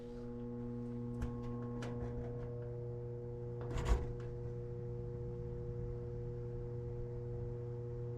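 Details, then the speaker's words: Old Goodman furnace that stopped blowing heat: steady low electrical hum with faint buzz and no airflow; blower motor energised but locked up, not spinning; bad motor suspected, exact cause unknown. "not sure if you can hear that on camera motors locked up i don't know what the problem is exactly but bad motor at this point"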